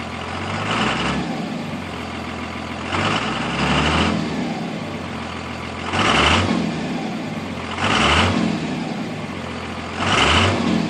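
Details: Cummins diesel truck idling roughly, with a heavy uneven surge every couple of seconds from a misfiring cylinder; the cause is a cracked tip on one fuel injector.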